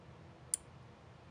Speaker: if I give this power now I can give this power without a base resistor because there is a resistor already on the board and let's see if we can hear it click